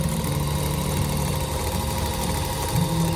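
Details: Viking Emerald 118 sewing machine that came in very tight, after oiling and penetrating oil on the binding spot: steady even whirr at constant speed with no catching, binding or labouring; running freely, smooth running.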